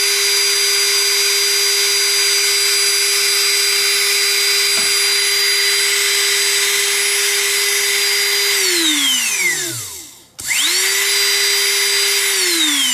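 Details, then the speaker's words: DeWALT cordless leaf blower motor on external bench power, removed from the tool: clean steady high whine that winds down then spins back up; draws 2.4 A at 20 V, motor fine, fault in controller or battery. "so at 20 volts uh 2.4 amps like the motor is fine"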